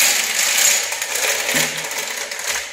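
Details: Homemade pedal car being pedalled: fast, light chain clatter and ticking with no drive load; rear wheels don't turn, owner suspects the sprocket isn't fixed to the steel rod and may epoxy it.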